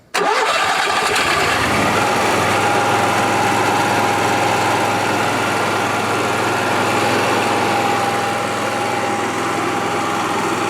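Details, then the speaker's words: 1976 GMC Motorhome with a newly installed RV generator, started by holding the start button: a quick crank catches at once and settles into a steady, even drone with a faint high whine. Normal start and run. "let me start it up right watch out if you hold this button here start button it starts"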